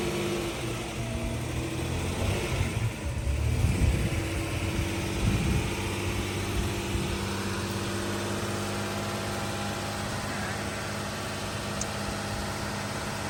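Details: Jeep Cherokee idling after hidden shorting wiring was repaired (computer tested good); settles into a fairly steady idle with slight early unevenness, the earlier bad misfire from a malfunctioning fuel injector gone, residual white smoke burning off.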